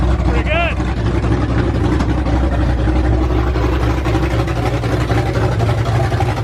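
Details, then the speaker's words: Ford F100 V8 with new aluminum heads, first start on open headers without a cooling system: loud deep choppy exhaust beat at steady fast idle, no valvetrain noise, everything sounded really good. "there's no valve train noise everything sounded really good"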